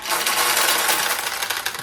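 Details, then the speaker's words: Nishijin single-shot conversion vintage pachinko machine after restoration: dense two-second rattle of small metal balls tumbling through as the refill mechanism tops up the low center recycling tray, then stops; normal operation by design. "Now when this tray runs low on balls, this will automatically allow more balls to go down in. So if you're playing and you hear this noise,"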